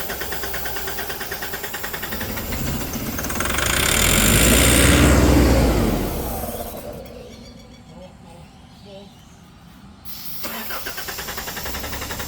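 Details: Nissan Navara D40 diesel after primary fuel filter replacement, bled by cranking since the hand pump was unreachable: fast even cranking about four beats a second, a brief rev, then cranking again without catching.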